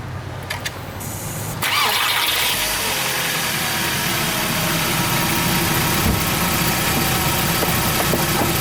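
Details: VW Golf MK4 after emergency JB-Weld repair of failed plastic water pump, thermostat removed: quick crank, then smooth steady idle with no crunching or grinding from the water pump; normal idle.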